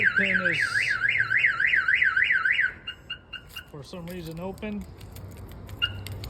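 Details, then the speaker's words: 1992 GMC Sierra 1500 Z71 with a Viper 5706V alarm: the hood pin is open, so the alarm won't arm. The siren stops and a string of chirps follows, and the pager shows hood open. "yeah it won't arm and it tells you on here it's good it tells you you know your foot is open and all that good stuff"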